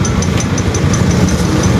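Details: Honda NS150 after repair (regrind, original bearings, cylinder head and rocker arm checked): even settled idle with light regular valve ticking about five a second; earlier loud noise gone, running healthy.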